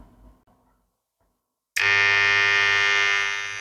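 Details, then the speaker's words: Corded Wahl Legend clipper switched on with a harsh, loud, steady buzz from a misadjusted drive coil; after the on/off switch was reassembled it still buzzes, and loosening the adjustment makes it louder, so the switch isn't the cause. "Nah, dia masih bunyi seperti yang tadi. Sama. Coba kita lakukan adjust. Masih sama blitnya tidak mau bergerak dikendorin. Nambah keras bunyinya."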